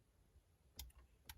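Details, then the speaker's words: Honda Civic EK4, ignition on, rear defroster test with blue-yellow wire jumped directly to fuse box: two crisp clicks half a second apart in a quiet cabin; the defroster relay pulls in normally. "Donc là, je mets le contact, j'appuie et on entend bien le relais qui claque."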